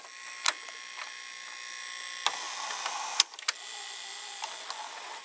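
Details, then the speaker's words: Panasonic PV-V4660-K VCR, owned since 2012, belt replaced by a rubber band; it sometimes slows, possibly due to the band. Rewinding to the beginning: faint, even high whir with a few mechanical clicks, uninterrupted; normal rewind, no problem. "but it works fine if we're going to the beginning you see no problem"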